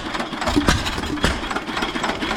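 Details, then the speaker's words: Stationary engine running. The piston oiler was turned on late after the owner noted it loses compression without it. Uneven chuffing pulses over a rattly clatter, no heavy knock; strong, normal running. "So, I'm happy about that. This thing is so powerful."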